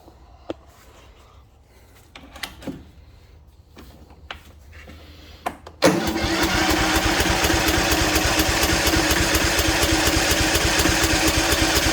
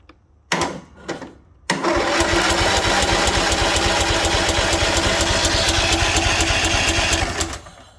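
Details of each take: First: Craftsman mower with Kohler Courage, gravity-fed, fresh splash of gas: scattered clicks then steady fast cranking that never picks up. Fuel shut-off solenoid plugged in but its wire mouse-chewed; carb float needle stuck, fuel-starved. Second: Craftsman mower with Kohler Courage single, first crank, PTO strapped back as it wasn't fully disengaging: even, steady chuffing about three beats a second for five seconds; turns over normally.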